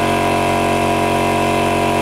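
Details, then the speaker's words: Compressor that switched on but would not start, after cleaning contacts, fitting a new start capacitor and changing oil: steady, even motor hum with constant piston beat, no knocks; runs cleanly. "всё работает как часы"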